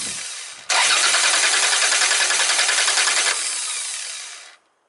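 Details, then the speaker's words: Car with spark plug cables removed so engine cannot start: quick, even whirring starter crank lasting about three seconds at a steady rhythm, then winding down smoothly; normal healthy starter motor sound. "okay and this is like normal starting motor"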